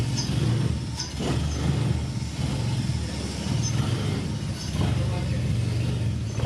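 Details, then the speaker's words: 1996 Mazda MX-5 Miata with swapped Honda K24Z3, first start after cranking with injectors unplugged: uneven lumpy rumble with irregular surges and dips; sounded very rich; rough running. "it's running rough but yeah it sounded very rich"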